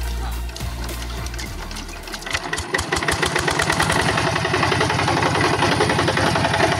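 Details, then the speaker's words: Yanmar TF85 diesel on a tractor in a rice field, which the owner reports as running rough: after start-up, a hard, regular knock of about three to four beats a second, louder than normal. Points to a broken bearing. "Jadi untuk suaranya di sini saya dengar kuat ya sekali detakannya. Jadi tidak seperti biasanya dan tidak normal."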